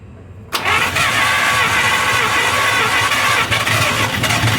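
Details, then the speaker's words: 1953 Buick Special revived after storage since 1992, first start attempt: starter catches and engine spins with rapid uneven churn, trying to fire but never running; owner suspects it isn't getting gasoline, possibly filter. Cranks but won't start. "ah i don't think you're getting gasoline yeah i don't think it's moving any fuel"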